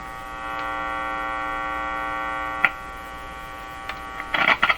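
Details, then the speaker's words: Electrohome Cosmic tube radio, speaker test for distortion: steady low hum with stacked even tones under the speaker output, stronger with more wire connected; mains hum from the radio, speaker judged fine. "of course the hum uh is stronger when i have more wire connected to this"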